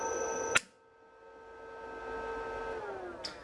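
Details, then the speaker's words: Victor lathe motor on an inverter drive, run forward then reverse, with a 5-second acceleration setting: clean, steady electric whine easing smoothly down in pitch near the end. Normal, healthy running after a micro switch holding out the controls was sorted. "Let's uh fire it up running it Forward there and running in Reverse there"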